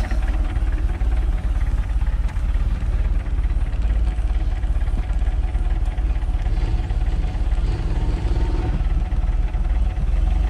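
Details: MerCruiser Alpha 1 Gen 1 3.0L 140 hp boat engine after a tune-up (cap, rotor, points, condenser, plugs, wires, oil change), throttle held slightly up: low, even throb with steady firing and no misses; runs clean.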